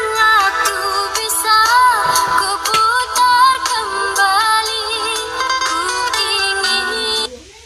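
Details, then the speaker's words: Xiaomi Redmi 5A phone speaker playing a song after cleaning dust from it, which had crackled before: clean full sound with no crackle or buzz on loud notes; normal speaker playback. "Suaranya sekarang. Kedengarannya normal, tidak seperti sebelumnya."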